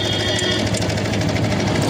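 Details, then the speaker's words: TVS Apache RTR 160 BS6 motorcycle, only 7,719 km, oil level correct: loud busy idle with a fast clattery chatter from the cylinder head top end, started suddenly three or four days earlier; cause not yet known. "ें देखिए कितना गंदा आवाज आ रहा है head के ऊपर से। और यह आवाज अचानक आना शुरू हो गया तीन-चार दिन पहले से और अभी भी आ ही रहा है"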